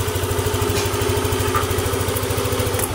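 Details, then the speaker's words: Yamaha NMAX scooter after a five-key-cycle fault-history reset starts very easily and settles into an even, quick idle putter with no misses, knocks or hunting. "Oke, start sangat enteng sekali."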